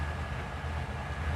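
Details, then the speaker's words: 1955 Chevrolet Bel Air with 350 four-barrel V8, 3-speed automatic, 3.23 gears, warm: deep, steady low rumble with even pulses and no knocks or ticks; healthy, smooth idle. "idle's awesome. Good power. It's got great power."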